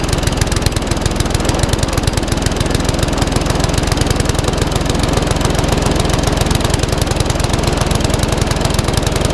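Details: Classic Briggs & Stratton 3.5 hp mower (red one) just started after servicing, previously tipped on its side with fuel over the carburetor: steady even firing but below desired speed; owner may change top governor spring.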